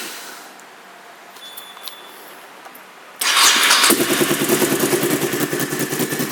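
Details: 2001 Honda VT1100C Sabre V-twin with just over 22,000 miles: catches and settles into a loud, crackly, uneven lope at idle; the exhaust sounds open, so the seller suspects the baffles were removed, though the pipes look OEM.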